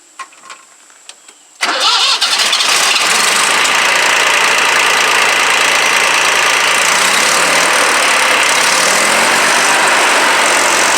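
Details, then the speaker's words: 2007 Jinma Smartrac 284 tractor, Chinese Y385 diesel, after injection pump replacement with pump adjustment maxed out (owner suspects timing gears one tooth off): catches after brief crank, steady even clatter, no misses or knocks; running healthy. "I maxed out the adjustment and she's running pretty good let me show you how it sounds it probably won't sound as good on there but it sounds good to me"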